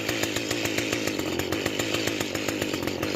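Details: Mantis two-stroke tiller after carburetor and fuel line cleaning, idle screw backed off: quick, even popping at a settled idle with no surging or misfire.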